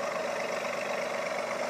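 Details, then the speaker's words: Kia after ignition work that removed over 100 feet of unneeded wiring: smooth, even idle with a steady tone and no pops or stumbles; the earlier idle misfire is gone, and the owner says the misfire at 3,000 rpm should be too. "no little stutter misfire on idle i guarantee you that misfire three grand is gone too you can hear that there's not a misfire even a contingent one"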